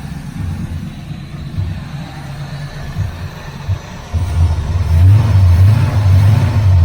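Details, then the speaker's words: 1981 Camaro Z28 V8 running on the carburetor float bowl after an electric fuel pump was removed, no choke: deep, even V8 burble that picks up smoothly when revved, no misses or knocks; healthy running engine. "right. That engine sounds good."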